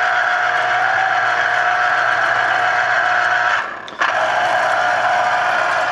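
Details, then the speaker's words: Chef's Mark electric citrus juicer, about 13–14 years old and flawless, juicing limes with the reamer switching direction; steady mid-pitched motor hum that dips and restarts on reversal; normal motor running under load. "Anyway, you just take that and stick it on there, and there goes the juice."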